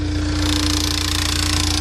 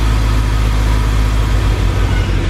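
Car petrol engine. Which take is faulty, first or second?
first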